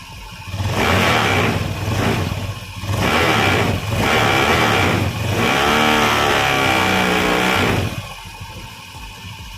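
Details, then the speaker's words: Honda Scoopy (K44) scooter with CVT components removed, checking engine alone: about five clean throttle blips rising and falling smoothly over steady idle, engine and crank area normal, normal revving. "it's okay, the engine is already about to roar, Kang Bu, this means that the condition of the engine is normal, yes, for the producer."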